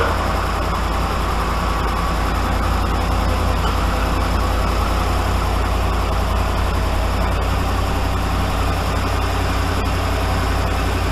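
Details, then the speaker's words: 2013 Dodge Ram 5.7 HEMI after passenger exhaust manifold repair replacing broken bolts (complaint was ticking worse when cold): steady even low idle, no ticking or puffing at manifold, no exhaust leak; normal idle. "think we're all right you guys hear anything well anything out of the ordinary i don't i didn't think so either"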